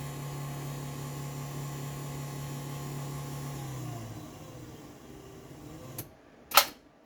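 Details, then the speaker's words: LiftMaster 8550WLB-267 garage door opener running: steady low motor hum with faint rattle as the door travels, then winds down; sounds rougher than it should but works. "So, you can hear it's a little noisy. It doesn't really sound quite right, but again, it works."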